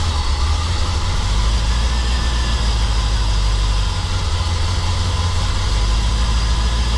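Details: 1990 Corvette V8 just after distributor replacement with a new upgraded unit: deep, even rumble holding a steady idle with no misses, knocks or stumbles; normal idle.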